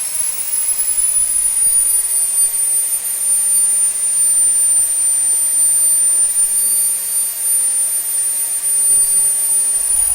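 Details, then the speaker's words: SWIWIN SW220B micro turbine, first raw factory-setting startup on test stand at about -24°C (-10°F): high thin whine holds nearly flat instead of climbing, hanging on the fuel ramp; fuel restricted by tank vent plug left in. "i started really well i'm impressed with how it started it hung a little bit on the fuel ramp now that's my fault i forgot to take my vent plug out of my tank so it was restricted sucking fuel"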